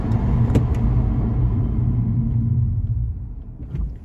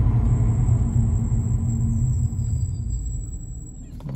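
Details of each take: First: Car fitted with new Ferodo DS2500 brake pads, now bedded in: low road rumble fades as the car slows to a stop with no squeal or grinding; braking is quiet and normal. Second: Brakes with new Ferodo DS2500 pads on ATE standard discs, during light braking while bedding in: a thin, steady high-pitched squeal over road rumble that stops as the car halts; normal pad squeal.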